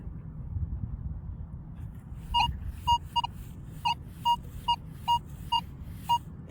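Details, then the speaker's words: Metal detector sweeping a target with the stabilizer turned up to 4–5 (normally run at 1); short tone bursts around 1 kHz that scratch and pop in and out over a faint hum: choppy target signal from high stabilizer setting. "In the headphones, it scratches and pops in and out. Here's 4. See how it's choppier. The more up on the stabilizer I went, the choppier I got."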